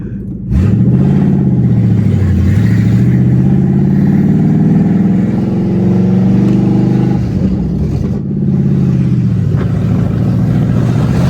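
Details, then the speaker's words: Ford Mustang drift car with the exhaust removed while fitting a replacement OEM H-pipe: very loud, raw blatting roar rising and falling with throttle blips from open manifolds, sounding like it's missing. "This sounds so freaking stupid. Dude, this thing sounds like it's missing its ass off. What the frick?"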